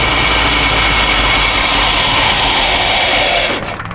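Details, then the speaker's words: 1951 Chevrolet half-ton truck engine, long sitting, old gas, fuel leaking when running and pump suspect: steady rough roar then sags and fades out, stalling as if running out of fuel though tank should have plenty. "It's like it's running out of fuel, but it shouldn't be running out of fuel. Why do we keep running out of fuel like that?"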